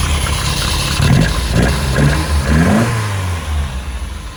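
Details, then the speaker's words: Lotus Elite revived after ten years in a barn, after cleaning debris from the carbs and adding fresh fuel. Still cold, with fantastic oil pressure and charging. It idles and blips smoothly with an even firing beat and no knocks or misses. "How smooth is that? The old pressure's fantastic, it's charging the battery."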